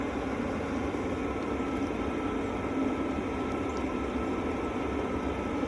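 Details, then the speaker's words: Hcalory Toolbox Heater Version 2 diesel heater after about 15 minutes running, warmed up, inside a tent; soft even fan whoosh with only a faint diesel pump tick, much quieter than a previous self-built heater; normal. "And as you can tell, it's really quiet. It's a very big improvement over the diesel heater that I had before this one, which is the one I built."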